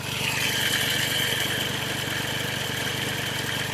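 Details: Hyundai Xcent diesel, replacement engine marked 1.1/1.2 L, warm at idle with busy, even clatter over steady hiss; engine knock present but not sharply singled out, with turbo whistle, smoke and weak pickup noted; cause unconfirmed.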